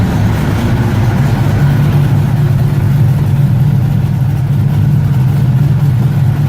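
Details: 1969 Ford Mustang V8, in neutral, first start in about six months: deep, even rumble that holds steady and picks up cleanly without hesitation; engine sounds healthy.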